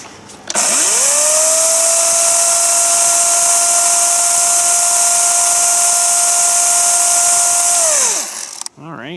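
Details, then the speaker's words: 60V battery chainsaw running unloaded to test the oiler; spins up to a steady high whine with chain hiss for seven seconds; no oil flung from the bar, owner suspects oiler not pumping, unconfirmed. "it's gonna start to come on the chain and it's gonna fling off the end and leave us like a little line here so let's just see here it's not though hmm can't really say I'm liking that too much"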